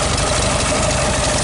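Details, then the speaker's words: 1969 VW Beetle, 1500cc air-cooled flat-four, cold after a restart: steady, slightly lumpy low chuffing idle with an even beat and mild tappet rattle. Normal cold idle. "feel cold but this stage on I just love this sound the air-cooled Volkswagen sound is music to my I don't know what do you think"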